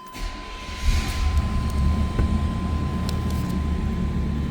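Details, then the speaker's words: 1994 Chevrolet Silverado 1500 extended cab 4x4, 100,938 miles, V8 cold start: brief crank, catches about a second in, settles into a smooth, deep, even idle with oil pressure up. Healthy cold start. "So, oil pressure's up. That was a cold start."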